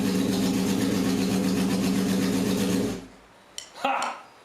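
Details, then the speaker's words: Barn-find 1978 Honda CB750K with a rebuilt engine on choke, attempt four after the idle mixture screws were set to 1.5 turns: the four-cylinder starts and hums at a steady, even idle for about three seconds. It has compression and runs. "But it did. We had compression. It started."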